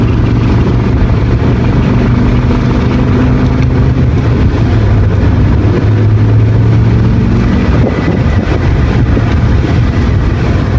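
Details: BMW E60 M5 V10 after replacing all four VANOS solenoids for VANOS codes and very rough running, without the VANOS bleeding procedure: a buzzing drone at idle and loose, uneven clicking under throttle. The engine later failed from rod bearings.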